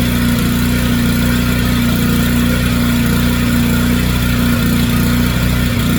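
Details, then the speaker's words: Generac 3500XL generator after replacing a faulty low oil pressure switch whose old unit was always activated and grounded out the engine: steady, even hum at constant speed with no misses; normal running. "I did just turn it on and it ran awesome. Look at that. That new low oil pressure switch."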